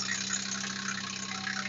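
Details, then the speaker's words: 1996 (description says 1999) Nissan Maxima V6 idling after water pump replacement, motor mount reinstall, oil change and coolant top-up: smooth, even drone with no grinding or knocking; normal idle. "after taking it on a test-drive letting that up tensioner fill with oil sound a lot better than it did"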